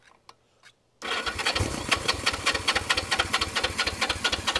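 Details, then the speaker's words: 1973 Honda CB360 with air cleaners off, seized throttle and battery connected, sprayed with starting fluid: it catches and runs smoky in uneven popping bursts at an irregular beat, never settling to idle; rough running on starting fluid only. "I don't know about you but that sounds like a running motorcycle I mean yes I know I squirted some uh starting fluid in there and it made some noise which is all I needed it to do"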